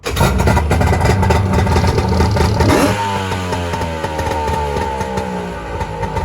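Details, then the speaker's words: 1997 Polaris SLX 1050 jet ski two-stroke after a rebuild with new pistons, and heads and exhaust refitted. It revs sharply, then settles into a busy, fairly even idle with no knocking. It runs well after the rebuild. "so just like that you guys can see starting to run pretty good"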